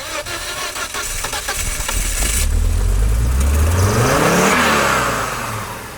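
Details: 1998 Volvo S70, flooded no-start after P0116/P0117 codes, after replacing coolant temp sensor and thermostat, cleaning plugs and oiling cylinders: catches on third crank, then revs hard with throttle held, rising and falling cleanly; starts normally.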